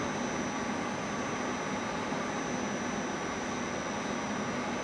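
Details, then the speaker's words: Water pump on a Hitachi VFD, put back in auto after a DC bus overvoltage fault: steady even hiss with faint high whine, no knocks, surges or grinding; running normally, fault cause unknown, possibly utility supply fluctuation. "it's all working yeah very strange well don't really know what caused it but now it's working"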